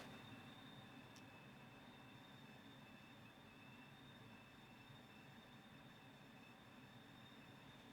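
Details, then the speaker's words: GeneralAire filter gauge test with an old clogged filter in the home HVAC return and the fan on: thin, steady high whistle over soft airflow hiss as the blower pulls hard against the restricted filter. "And you can even hear it whistling, it's pulling so hard on the filter."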